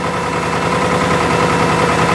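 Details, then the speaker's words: Subaru engine at warm idle, rebuilt just before; shakes until warm, then idle slows and a fast, light metallic rattle becomes more pronounced; owner feared piston slap, but it is a timing tensioner rattle. "but it starts to slow down in idle after it stabilizes and everything the knock is a lot more pronounced or the rattle whatever you want to call it"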